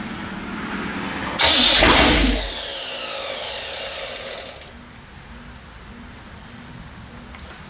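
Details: Rebuilt Pontiac 400 V8 on homemade engine run stand, second break-in after flat-tappet cam lobe, lifter and bearing failure, on fast idle cam: short crank, catches with loud roar, settles to even idle; clean start.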